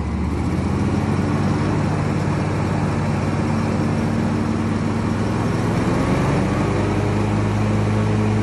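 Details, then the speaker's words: 2020 Bad Boy Maverick 60-inch mower at 77 hours, after replacing a failed chute-side deck spindle bearing with a 6206-2RSC3: smooth, even drone with no grinding or rumble from the deck; quieter than ever, normal running. "now for the test nice and quiet i don't think i've ever heard it this quiet"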